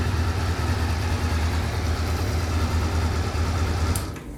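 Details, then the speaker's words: 1989 Honda CB-1 four-cylinder, stock pipe, about 50 miles of riding, not fully warmed, no choke: smooth even low hum at idle, no ticks or knocks, then cuts off. Healthy idle; gear-driven cams make it whine on revs. "So it starts right up. And it sounds pretty good, idles well. This isn't fully warmed up yet, but I haven't even put the choke on it."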